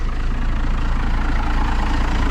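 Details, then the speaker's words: 12-valve diesel, about 60,000 miles, unstarted 2 weeks, throttle cable broken, some oil found in turbo so not revved: loud, even diesel clatter at steady idle, regular beat, no misses; runs good, normal idle. "check out the girl. Probably way too loud, but pretty good. She has a solid, I don't know, maybe 60,000 miles on it. So she runs good."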